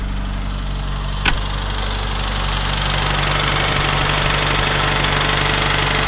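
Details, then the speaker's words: UZAM 1.5 engine after a rebuild, knock appeared around 1,200–1,400 km, valves adjusted at 1,000 and 1,400 km, chain rubbing the tensioner guide; slight choke, 1,500 rpm; dull, fairly regular knock about three per second; source unclear. "Как будто где-то что-то висит и что-то стучит. По тахометру 1500."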